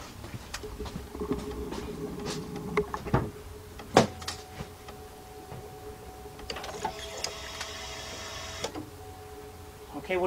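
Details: 2005 Chevy Impala 3.8 that stalls and is hard to restart once warm: key-on brings a steady mid-pitched electric hum for several seconds with a few clicks; fuel pump primes normally, pressure reaching 50.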